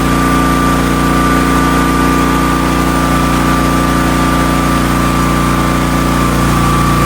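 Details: Marketplace Hotsy 16 hp gas steam pressure washer, after fixing the igniter contacts and wiring and getting the burner lit: steady, even engine drone with a constant pump hum, no misses or knocks; water boiling hot.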